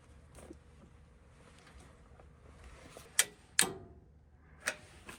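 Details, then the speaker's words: Old gas furnace not firing, board showing three blinks: a few sharp irregular relay clicks on the control board, no inducer motor spinning up, possibly no power at inducer; control board fault suspected, not confirmed. "I hear the relay clicking on the board okay neither side of that is hot so I don't know that we're getting power to the inducer so we may have a board issue"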